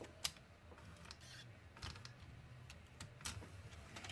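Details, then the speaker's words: Car in-dash 6-disc CD changer loading a disc as it is inserted after the unit asks for it. Light clicks and short motor whirs in quick, unhurried bursts as the mechanism draws in and seats the disc: normal loading. "Don't jam the disc in, since you can see there it's actually loading something there."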